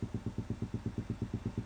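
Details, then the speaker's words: Homemade two-stage electret condenser mic preamp powered through a current-limiting resistor: steady low thumping about eight times a second, voice sounds underwater; suspects the limiting resistor, and shorting it out stopped the thumping. "kind of amplifying, but uh makes me sound like I'm underwater or something. It could be could be this resistor here, which I've used to limit the current. That could be the cause."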